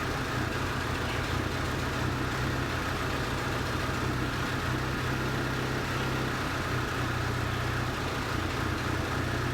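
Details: 2008 Hyundai Sonata 2.4 petrol engine idling with an uneven, lumpy beat from a cylinder misfire, rough idle.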